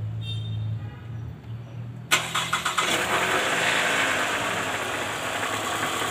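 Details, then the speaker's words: 2009 Toyota Alphard ANH20 2AZ-FE at start-up in neutral: a short crank, then a harsh uneven grumble heard from underneath near the oil pan. Cause: a worn balancer shaft with a loose no. 1 gear; the noise lessens when warm. "oke Jadi terdengar bunyi sangat kasar di area mesin walaupun posisi Netral ini langsung muncul bunyi kasar"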